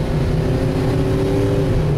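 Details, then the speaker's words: 1996 Ford E-350 12-passenger V8 van floored from a stop. It gives a deep, even roar pulling hard with no knock or slipping, and the first shift comes at 38. "so this is starting from a stop I've got it floored right now to the to the"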